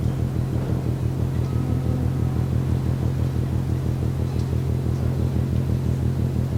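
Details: Rhythmic banging from the ship MAERSK TAIKUNG, Port of Genoa Pra' (PSA Voltri Pra), 1 a.m., 5 Nov 2015, heard from over 1 km away: deep, steady pounding about twice a second over a low rumble; source unknown.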